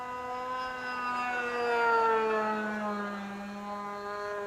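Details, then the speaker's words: Vintage RC plane glow engine after swapping plugs: a high, steady buzz that dips slightly then holds even, with no misfire or sputter. Normal running. "That sounds better without plugging it too. Yep. That's all it was, you had to swap plugs."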